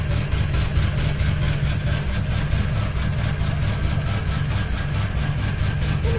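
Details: Ceiling fan running with only one blade and a ball hanging: low hum with a regular thump about twice a second; rotor swinging out of balance, wobbling every turn.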